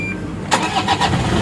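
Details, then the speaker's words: 2012 Toyota Fortuner 2KD diesel restart: starter whirs briefly, then engine settles into an even clatter with no squeal; the earlier singing/squeak at cold start is now gone, a smooth normal start. "Bunyinya sudah halus ya. Beda dengan yang awal tadi yang saya videokan pertama tadi ya."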